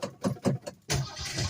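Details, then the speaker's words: 1965 Ford Mustang six-cylinder, long unrun with fuel drained and only a couple gallons added, cranks with slow uneven starter chugging and a rougher rush but never catches; owner suspects not enough fuel is being picked up. "may not put enough fuel in the tank that might be a problem i put a couple gallons in it and it's not picking up so maybe didn't get enough in it"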